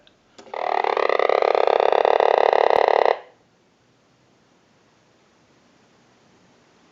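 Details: Vintage Frog novelty telephone during repair checkout, with a ring cycle sent from a telephone analyzer: one croaky, buzzing ring of about 2.5 seconds sliding slightly upward in pitch, then silence; ringer works as intended.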